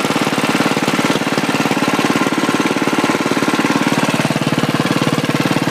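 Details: 1967 or 1968 Sears Suburban Super 12 Special tractor on a home-built propane conversion: steady, even single-cylinder chugging with no misses, knocks or hunting, holding speed; normal running, slightly smoky from age.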